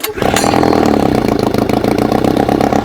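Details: Old two-stroke outboard after cheap replacement coil swap, 20:1 SAE 30 mix, choke on: catches quickly into steady buzzy beat without stumble or misfire.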